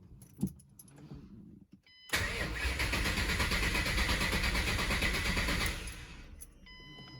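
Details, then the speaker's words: 2005 Mustang GT with a newly installed used 4.6 3V engine, stock tune reflashed, cranked with the injectors unplugged: even, rhythmic cranking at about three beats a second for three and a half seconds, no knocks or scraping. Normal cranking. "pretty good didn't hear anything bad so let's try to get it started here"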